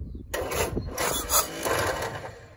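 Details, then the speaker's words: 1941 Willys MB flat fender sitting 7 years, after cleaning points, starter terminals and new starter wire, run on squirted fuel: uneven coughs and bursts, stumbling; owner suspects timing; hard starting, rough running. "well that's all she wrote for today it started once now it's grumpy time to do a little more research try to get the timing set a little better"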